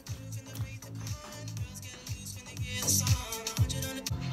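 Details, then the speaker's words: JBL speaker's D-2412 PL tweeter after membrane replacement and rewiring, reconnected and tested: music plays with a clear beat and crisp, bright treble, so the tweeter produces high pitches normally again. "working now because you can hear that the it's making high pitches again, so you can put it back together."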